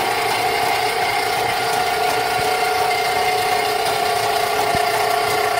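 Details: Rental sewer snake in a home sewer line: steady high-pitched drum whir with rough scraping rattle under load; cutter going hard, won't let the cable push through, eating its way through while given slack.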